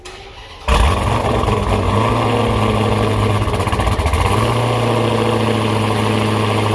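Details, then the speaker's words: Hellcat Dodge Charger with Hellion twin-turbo kit, after the exhaust was finished and the flange changed to fix earlier exhaust leaks: the engine starts quickly and settles into a deep, even burbling idle with no ticking, and the turbos are now audible. Normal start and idle. "I don't know if you guys remember when I was filming from here before, you heard a lot of ticking and all that. That was all exhaust leaks. But now, listen. You guys hear how quiet the motor is?"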